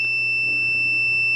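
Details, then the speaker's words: 3rd-gen Toyota 4Runner 4WD switch tested with multimeter continuity: one unbroken high-pitched beep with no dropouts through the whole pin stroke; good switch, unlike the intermittent old ones. "so you can see this one makes continuity through the whole stroke of that pin"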